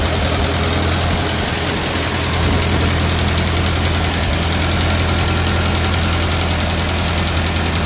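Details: 1950 Farmall Cub small four-cylinder after engine rebuild with pop-up pistons, new magneto and new on-off switch, idling: steady even low rumble, quiet, no knocks, misses or smoke; runs smooth and healthy.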